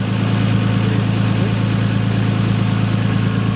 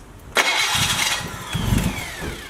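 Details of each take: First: Nissan Skyline just fitted with a replacement starter, with a known vacuum leak: a loud, uneven low idle pulsing three or four times a second; rough idle, and the owners question whether the blow-off valve is working. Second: Nissan Skyline after replacing its 30-year-old starter: short crank, then the engine fires straight away and settles into a steady idle with clean starter engagement; a vacuum leak is still present.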